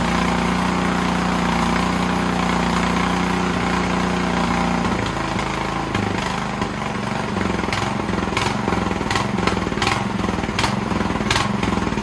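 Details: Snowblower engine whose rebuilt carb leaked, now fitted with an Amazon carb, runs only on choke; on the stand with throttle up and full choke, it runs steady then sags and surges, hunting at low idle; pilot jet problem suspected.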